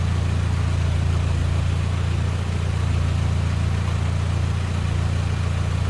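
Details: Ford GPW Jeep four-cylinder just after a head gasket and sump gasket change with skimmed head and no thermostat, good oil pressure; even, low-pitched idle with a smooth, steady beat and no knocks or misses.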